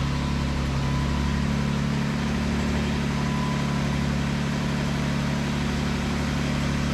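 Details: 2012 Chevy Cruze with the engine just installed, jumped from a Jeep, before spark plugs and coil pack are fitted: continuous quick, even starter churning that never catches or fires; cranks but won't start.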